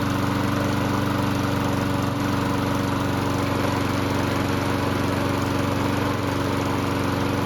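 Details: Lawn mower after a repair for surging: holds a steady, even pitch with no rising and falling of revs; the governor is now keeping speed smooth.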